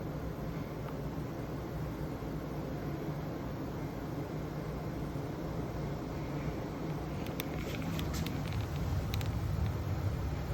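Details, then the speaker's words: Indoor Daikin furnace/air handler, about 19-20 years old, in cooling mode, working again after a very dirty filter was dealt with: even airflow rush and low hum, a few light clicks, sounding normal. "So this is what your Daikin is supposed to sound like. And this is an inside unit."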